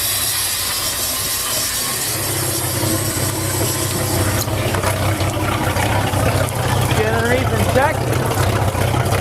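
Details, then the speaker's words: V6 in a Bayliner 195, cold start after sitting since August: low, steady even idle with carburetor primer hiss over the top; runs clean. "all righty she's running it's been sitting since August so I'm surprised that it didn't really fire up right"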